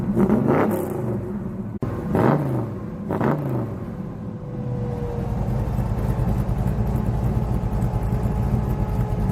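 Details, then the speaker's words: 1966 Chevelle 327 small-block V8, small cam, long-tube headers, carburetor just rebuilt: crisp rev blips falling back to a lumpy idle, with slight throttle hesitation. More responsive now, but still a little stumble; carburetor needs tuning. "they're got some adjusting to do on the carburetor but it is a lot more responsive now I got a little tuning to do on it because it's got a little stumble"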